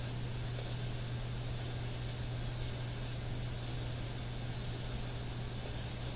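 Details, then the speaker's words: AM radio scan below the AM band near 256 kHz at home: steady low buzz under even hiss, signal believed to disturb AM radio tuning in the shop; radio interference noise, smart power meter suspected. "I believe this particular signal is responsible for many of the effects that I get in my shop when I'm tuning and adjusting AM radios. It's just below the AM band."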